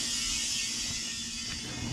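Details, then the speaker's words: Semi truck whose air suspension isn't getting air despite pressure: steady, even hiss of the air tank filling inside the truck, no pulsing or knocking; the air compressor is charging normally. "oh air Tank's filling up now so right now the air Tank's filling up inside the truck as you can hear that's what that sound"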